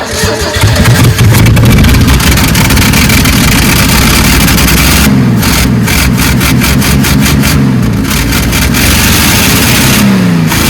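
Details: Uneven, labored cranking at roughly four pulses per second with brief catches that never settle into a run, on a 1974 Ford F-100 unstarted for 25 years; exhaust suspected plugged and unhooked at the collector before this attempt; cranks but won't start.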